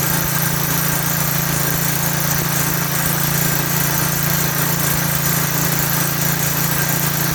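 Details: Lawn edger with 3.5 HP Tecumseh engine after a pinholed primer bulb was replaced: steady, even buzz with no misses or surging at a constant speed; running cleanly.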